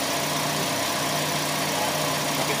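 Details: Toyota Vios Gen 4 at idle with the AC compressor engaged. A steady, even hum with a smooth compressor whir and no repeated clicking; the cold air is holding well, and it runs normally.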